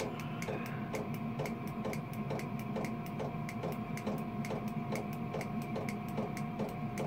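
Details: Diesel heater newly fixed in an allotment shed, already up to temperature after starting on low (1.4) and now turned up high, battery around 11.7–11.8 V: steady fan hum with an even fuel-pump tick about twice a second, running smoothly.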